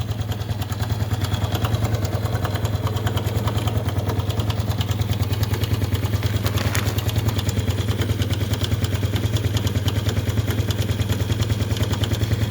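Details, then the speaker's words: Honda Biz 110i motorcycle at idle with the adjusting screw loosened well off: steady idle with fast, even metallic ticking about three per second over the low thump; top-end noise still loud. "Agora eu vou ligar a moto ali, ok? Vou ligar e vou dar uma pausa aqui antes. Vocês podem perceber que o barulho continua alto."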